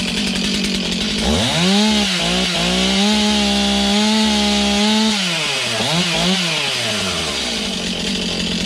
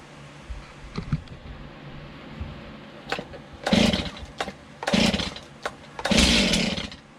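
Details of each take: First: Stihl MS291 chainsaw, bought used online, just serviced; catches after sputtering, revs to a steady high buzz, blips and drops back cleanly: strong, even running, no misfire. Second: Stihl MS291 chainsaw after a new bar, chain and service kit; several pulls on full choke each give a short sputtering burst that dies at once; it wants to fire but won't run. Half choke to be tried next.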